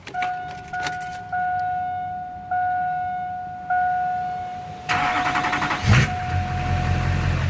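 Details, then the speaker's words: 2001 Duramax LB7 diesel after Airdog II-4G 165 lift pump install: steady chime, then short crank and quick catch into an even idle; consistent healthy start. "kind of sounds like my dad's truck now it's consistent start and it stays consistent pretty much from what I've noticed"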